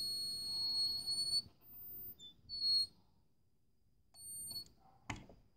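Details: Addzest APA-4320 car power amplifier: thin, piercing high-pitched whine in short bursts, coming from a coil inside the amp; coil whine.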